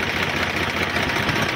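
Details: HMT 3522 tractor diesel, warm, after a blown head gasket and oil change, idling while water is poured over it: steady, even idle with no misses, knocks or uneven beat; problem solved, engine healthy.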